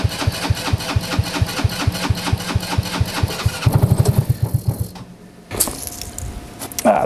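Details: TW200 Trail Wagon Runabout 4x2 kids UTV, after carburetor cleaning, battery shot: brief crank, then catches into an even steady low chuff before shutting off; starts and runs properly.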